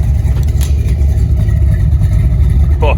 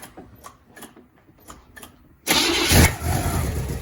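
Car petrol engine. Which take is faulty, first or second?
second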